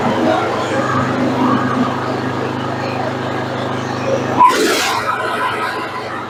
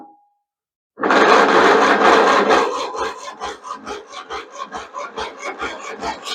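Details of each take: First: Craftsman II lawn tractor with a Briggs and Stratton 12 hp gas engine, stored for years, freshly serviced (starter cleaned, battery and cable fixed), running with the mower deck engaged: a steady, even, slightly loud hum with no knocks or misses, healthy. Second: Craftsman II lawn tractor with Briggs & Stratton 12 hp engine, stored many years, starter just cleaned and serviced, on choke in neutral: starter drags slowly and never fires; old battery still weak, likely needs replacing.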